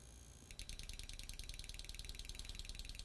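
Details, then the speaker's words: Fuel injector on the bench, pulsed by a Launch sensor/actuator simulator: sharp, even ticking at about three clicks per second over a low hum as the pintle moves; the injector is working properly. "Hear the clicking? I don't know if you can see the pintle moving in there."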